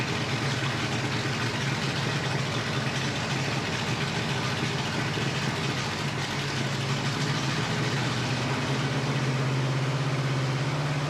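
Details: Flathead Ford 8BA V8 with 12V conversion and an unrebuilt carburetor, running after its float bowl was filled: a steady, even low idle rumble with no misses, knocks or surging. Normal idle.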